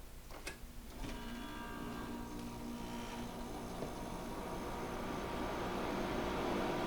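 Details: GE 5000 BTU window air conditioner started on low cool: a couple of relay clicks, then a smooth hum building as fan and compressor come up; clean, normal startup.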